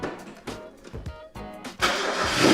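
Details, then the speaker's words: $500 Mazda Miata sitting unfinished six years in a garage, first start on new battery: a few starter whirs, catches at once and settles to a steady even run, running like a brand new car; normal cold start. "That thing fired up like it was running 5 minutes ago."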